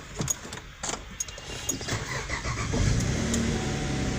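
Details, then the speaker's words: 2012 car with a no-start, no-crank fault from a faulty key; key placed in its set location so the BCM detects it: light clicks, a short crank, then the engine catches into a steady idle. Normal start. "So you can see, look at neutral, drive, manual, color. So the car is working now."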